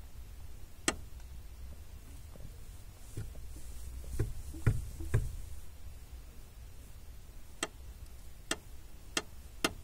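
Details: 2005 Honda Civic clutch pedal: sharp dry clicks at uneven intervals, felt at pedal, with creak; lubrication didn't help; caused by overtightened lower clutch master cylinder mounting bolt, fixed by loosening and retightening with less torque.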